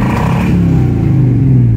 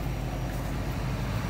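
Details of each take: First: 1984 Chevy K5 Blazer V8 sat 10+ years, first start, aftermarket temp gauge near 190: deep steady idle with a loud coarse crackling edge and uneven pulses; owner suspects the carburetor loading up, possibly rich, cause uncertain. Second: 1984 Chevy K5 Blazer sat 10+ years, revived, temp gauge around 190: low even idle with no stumbles, ticks or misses; idling pretty smooth after the earlier crackle.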